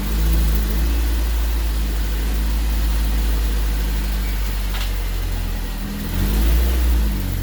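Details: Golden Quack car after a replacement engine swap for overheating, no transmission fluid yet, driven in forward and reverse: a steady low engine beat with gentle rev rises, even and smooth with no knocks or misses, running healthy.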